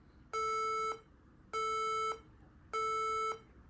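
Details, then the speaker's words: HP laptop powers on with black screen and three long, evenly spaced beeps, a 3-beep code commonly caused by a RAM problem. "Okay, so a really common cause of that beep code is a RAM problem."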